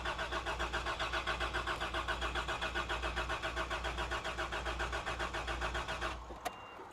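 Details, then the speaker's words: 1989 Toyota Land Cruiser barn find, sat about 8 years, four or five gallons added: starter churns about four beats a second for six seconds, never fires; oil pressure up, owner suspects fuel pump, considers starting fluid test. "So, in all likelihood, we need a fuel pump. And I just say that because it's what I do. I put fuel pumps in things."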